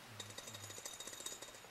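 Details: Vacuum tube (807) from a Johnson Viking II ham transmitter shaken, giving a quick, bright clicking rattle from broken loose internals, likely shipping damage; tubes were shot, causing the modulation problem.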